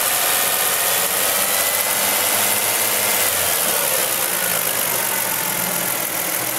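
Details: Car with DIY dual-fuel CNG conversion, running on gasoline before switchover (which needs 2,000 rpm): even, steady running with smooth hiss, no knocks or rough patches; engine healthy.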